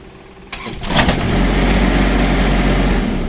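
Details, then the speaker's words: 2020 Cornerstone 45B RV diesel generator normal start: start button preheats and won't crank until up to temperature (hold longer when cold), brief crank then catches and settles to a steady even rumble. "it will not crank until it's up to temperature that means if it's cold out you might have to hold the button longer before it will crank"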